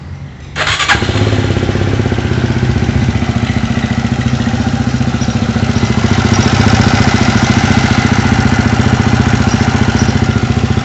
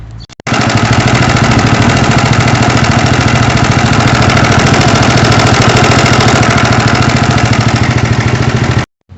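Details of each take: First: Horizon 250, previously very loud engine noise, after work on the cam chain tensioner; starts right up into a steady, even single-cylinder idle with no top-end rattle; now extremely quiet. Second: Horizon 250 engine idling with a loud, steady hammering rattle keeping pace with idle; two shops diagnosed connecting rod or piston, but the noise was a slack cam chain from a failing tensioner.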